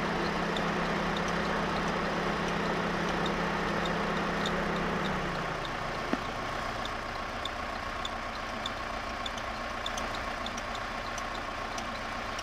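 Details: Renault F4R engine at steady idle with a light, even tick about three to four times a second; idle settles lower midway. Source of the tick unclear.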